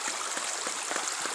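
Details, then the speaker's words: Homestead ram pump from LandToHouse, fed from a creek by 1-inch pipe converted to 2-inch: glugging booms in the pipe as the waste valve thumps about 2.5 times a second instead of the ideal once a second, cycling too fast but still pumping well. "You can hear it glugging in the pipe. Boom, boom, boom, boom, boom. So it's operating a little fast according to Seth Johnson."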